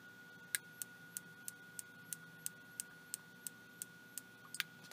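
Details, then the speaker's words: Night Owl night vision monocular with image intensifier tube, opened and powered; sharp dry clicks about three a second over a faint high whine, suspected high-voltage arcing inside the unit's voltage multiplier. "like we might have a Ark out inside of the unit and that is what's causing the fault"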